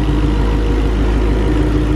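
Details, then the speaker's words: 2019 Mustang GT swapped to a 5.2 engine with VMP Odin supercharger, first start on break-in oil, fuel pressure good: deep even burble with no knocks or misses, not loud; healthy idle. "not loud man"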